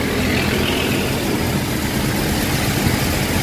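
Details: Toyota Hilux Revo after belt tensioner pulley bearing replaced (previously grinding near power steering): smooth steady idle with even low rumble, no grinding from the belt side; tensioner now healthy, normal idle.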